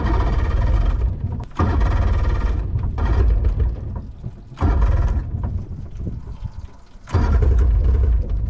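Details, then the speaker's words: Two-stroke carbureted boat outboard on flush hose after replacing corroded ring terminals, bulb primed and choke engaged: repeated few-second cranking bursts without catching; hard starting before it finally ran. "I'm gonna let it go for a little bit just to run, because y'all saw how hard it was to start"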